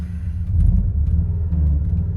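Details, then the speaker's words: Car built from junkyard scrap parts: deep uneven rumble that surges and throbs while running; nasty vibration, rough running, cause not yet clear. "Hear that real nasty vibration."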